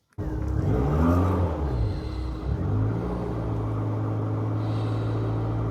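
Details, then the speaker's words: Rover Metro 111 cold start: starts easily, then the idle surges and sags unevenly into a low lumpy rumble, barely holding idle unless the pedal is held slightly; owner blames a faulty coolant temperature sensor, advises 30 seconds warm-up. "Starts easily enough, as you can hear. But unless you just keep your pedal ever so slightly depressed for a little while, there."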